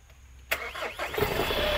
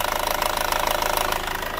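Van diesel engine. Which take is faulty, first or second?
second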